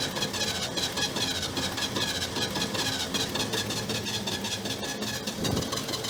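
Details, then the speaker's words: 1968 GMC C1500 six-cylinder, first start after 17 years abandoned, bottle-fed fuel as fuel pump diaphragm seems shot: idle stumbles with uneven hissy chuffing, not firing on all cylinders; misfire. "Look at that. It does actually run. It's not hitting on all 8 at the moment."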